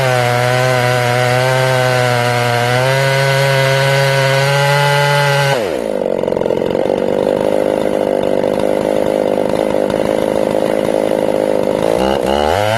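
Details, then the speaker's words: Ported Jonsered 630/266 chainsaw, tuned and warmed up in about 110-degree heat: a crisp high rev, then it sags into a rough, labouring drone in the cut, slower than a stock saw. It won't hold its tune; crank or bearing failure suspected. Chainsaw bogging under load. "this is me putting it in the wood you can hear it struggling like slower than a stock saw struggling"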